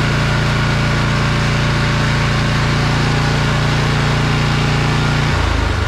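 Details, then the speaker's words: Briggs & Stratton Snow Series engine on a John Deere snow blower, test run after fitting a new HIPA replacement carburetor (previous generic carb ran rich and sputtered at full throttle), plastic covers still off, warming up: loud, steady drone with no sputter or surging, pitch shifting near the end; normal running. "so our test run was good so now we're just going to put the rest of the covers back on this thing and then we'll do another test run after everything's back on"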